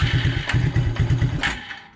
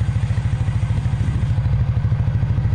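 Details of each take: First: 1996 Suzuki King Quad 300 ATV during fuel-flow checks with the fuel filter line disconnected: single cylinder pops along in weak, ragged bursts, then dies within two seconds; barely running from fuel starvation. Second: 1996 Suzuki King Quad 300 4x4 ATV single-cylinder after carburetor rebuild: even thumping at a fast idle, clean with no misses or knocks; running better than before, normal running.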